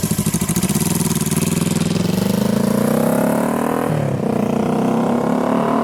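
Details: 1973 Honda CL350 scrambler twin, about 14,000 miles, after full service, cam chain and valve lash adjustment, ignition timing, new plugs and MGO/cut mufflers; revs smoothly with crisp even exhaust beat, no knocks or rattles; normal running.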